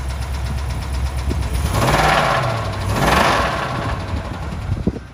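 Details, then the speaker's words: 2019-built 2020 Ram 2500 with a 6.4 Hemi, 24,000 miles, oil likely never changed and mostly consumed. After a new starter it cranks hard, then runs with an uneven knock and tick. Severe internal failure; the roller lifter and cam wear issue is suspected. "something does not sound well with this engine i don't know if this thing was built on a friday or what but there's no reason why at 24 000 miles the starter should have gone out and this knocking ticking noise going on"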